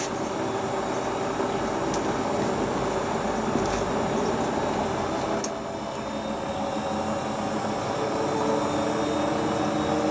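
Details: Hotpoint Ultima WT960 washing machine (7kg) test spin after repair with a brand new replacement drive belt; smooth, even drum whir at steady spin speed, no slapping, squeal or thumping; normal spin cycle.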